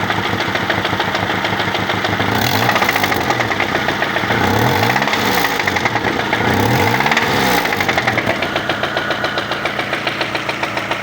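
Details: Lada Largus with K7M engine: sharp rhythmic knocking over the engine, quickening and slowing as the revs swing up and down; a knock from inside the engine.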